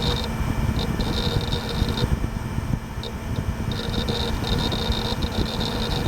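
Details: Gateway LP Mini Tower KAD K7-700 (AMD Athlon 700 MHz): steady low fan hum with faint hard drive whir and light intermittent seek chatter. Drive and fans running normally.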